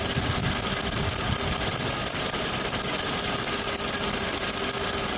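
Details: Toyota Blade idling while shifting between drive and park: high, thin squeak chirping about twice a second; present since a week after purchase, persisting one week after first attempted fix.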